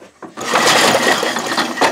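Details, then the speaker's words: Briggs & Stratton 5 HP engine converted from points and condenser to electronic ignition, spark-tested with the engine pulled over by hand: rapid, sharp, regular snapping ticks with a good blue spark. The ignition is healthy. "she's sparking well you can tell a good blue spark nice"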